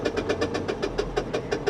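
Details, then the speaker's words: Honda Insight at idle: with AC on, the compressor engages but can't spin, and the drive belt slips with rhythmic chirps about six a second. Crank pulley balancer has detached; engine sounded like low compression. Called an easy fix; power steering also needs checking. "see when you turn this on the compressor kicks in but the compressor can't spin because the belt is slipping"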